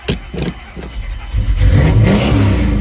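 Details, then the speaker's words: 1986 Chevrolet Silverado, rebuilt 350ci V8 with an aftermarket cam and automatic transmission, starts and revs into a deep, lumpy, slightly choppy burble; healthy engine with a mild cam. "Aftermarket radio. Great sound. Nice little cam in there."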